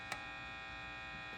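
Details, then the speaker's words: Vintage Gibson BR-9 tube guitar amp at max volume, both input tips grounded: steady low mains hum with a thin buzz at constant level persisting despite grounded inputs; amplifier hum fault. "Then, but even with the tips grounded, you're still getting some of that noise. So, interesting"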